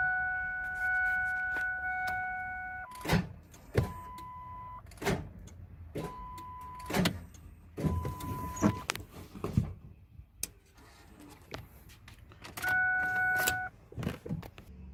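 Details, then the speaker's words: 2000 Ford F-350 7.3 Power Stroke diesel with water in oil, seized after overheating on a drive from Texas to California. Single heavy clunks at each key turn, no cranking rhythm; engine is stuck and won't turn over. "you can hear the engine is stuck is not turning over okay so I'm gonna tell you guys a little bit about what's happening with this truck"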